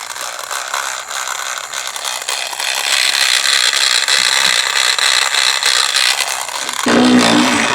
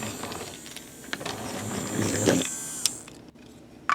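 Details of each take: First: Loud grinding, high-pitched ratcheting from a Trackmaster Revolutions toy train motor; motor is a non-original replacement, worm gear seated too deep, chipped all the way and cracked, fix by pulling gear out. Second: Trackmaster Revolutions toy train after repair (chipped and cracked gear swapped for new greased gears, gear depth corrected): motor whirs softly with a thin high hiss, quiet and free of grinding or clatter.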